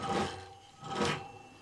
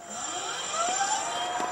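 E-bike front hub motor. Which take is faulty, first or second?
first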